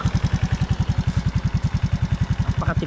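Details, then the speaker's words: Suzuki Raider J 110 Fi, idling before valve adjustment: single-cylinder thumping with light ticking on top; loose valve clearance likely; spec intake 0.04–0.08 mm, exhaust 0.12–0.16 mm. "yung ganon na sound ay malakas ang lagitik niyan malamang ay lumuwang na yung kanyang valve clearance"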